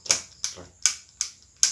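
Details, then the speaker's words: Spinning fishing reel without one-way instant anti-reverse, rotor turned backward: sharp, bright ticks about every 0.4 seconds, showing back-play. "Nah ini kan belum one way ya. Nah, jadi kalau kita putar ke belakang itu ada jeda mas bro. Nah seperti ini ya, kita putar ke belakang ini masih ada jeda belakang."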